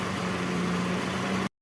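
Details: Mercedes W204 with M271 engine after replacing the faulty cylinder 1 spark plug that caused a misfire: steady even idle with a low hum and constant tone, no stumble; engine runs smoothly.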